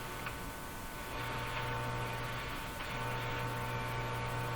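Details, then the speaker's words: Eatons Universal Electrohome floorstanding tube radio, audio and IF signals injected past the first tube and transformer, volume at full; steady low mains hum under faint hiss with soft ticks. Owner doubts the hum comes from the injection point and thinks it is inherent in the radio; unconfirmed. "so now there's a hum there I doubt the hum is coming from here Dom is inherent in the radio"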